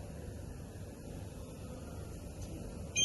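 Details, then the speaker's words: IOPAK MECH carton erector (1-phase 240V, 0.4 kW) at power-up: steady quiet hum, then a sharp high alarm tone cuts in; a fault alarm, not the four servo-motor ready beeps heard after pressing reset. "is the alarm, so this is not the beep that you're supposed to be hearing."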